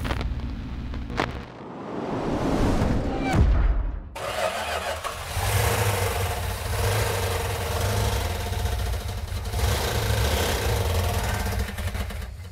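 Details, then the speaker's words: 340 V8 on initial firing, running on about six cylinders with low compression. A rough, uneven lumping idle with light metallic tapping on top. Misfire from a bent pushrod. "that not sound good well what's going on is we had uh two problems with our 340. we actually had three problems when we initially fired it off it was running on about six cylinders"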